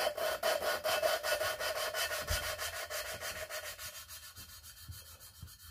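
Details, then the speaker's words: 5.3 LS cylinder head fresh from the machine shop, valve lapped by hand with coarse compound: loud rasping back-and-forth grind about two strokes a second, softening as it goes; valve and seat not yet mated. "what we're really doing is listening for the grind okay so you hear that how loud it is grinding what we're going to do is we're gonna just spin this back and forth until that grind gets smooth"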